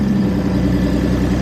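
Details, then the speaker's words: Audi B8 S4, previously crashed, had a multiple-cylinder misfire, after replacing old crusty spark plugs (oil on top, suspected valve cover gasket); low, even idle with steady rhythm, no stumbles or skips, firing on all cylinders. Normal idle. "oh yeah hear that oh she's m it's actually idling now bro"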